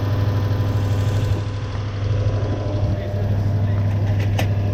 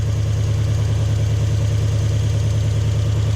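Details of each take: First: Toyota Hilux 1UZ-FE V8 after swapping the failed ignition coil for a matching one: deep even V8 rumble with more twang, no longer flat, all cylinders firing – healthy running after repair. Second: Toyota Hilux with 1UZ-FE V8, lacking power and idling poorly: deep lumpy idle pulsing about three times a second, flat sound; spark tester shows no spark on one bank, running on 4 cylinders – misfire.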